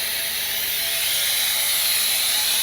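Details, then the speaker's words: Truck lift axle valve stuck open: exhaust port dumps air continuously with a constant loud hiss, never stopping; suspension bags and lift bag keep pressure even after five minutes, so axle won't fully lift. "And as you can probably hear, that exhaust port right there is just dumping air full time. And it should dump the pressure out of the bags and then stop. But it's sticking open where it's just dumping."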